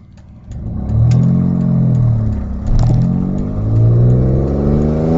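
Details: Audi A4 2.8 12V V6 revving: a loud rough, tractor-like exhaust note, worst at startup and sometimes while accelerating. It comes from a leak after the flex pipe and just before the catalytic converter, leaving one bank open.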